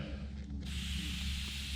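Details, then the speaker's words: Sharp, steady airy hiss cutting in over a low rumble and holding constant on a 5.3 LS-swapped S15 truck; air escaping through a cracked valve stem on a bald, worn-out tire. "I realized that it's actually the valve stem that's leaking I mean it is cracked and this tire is definitely bald and done"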